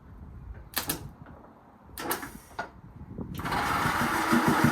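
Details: Series 2A Land Rover rebuilt engine on temporary wiring loom and gravity-fed fuel, seized carb throttle just freed: starter churns the engine over with no firing or catch; cranks but won't start.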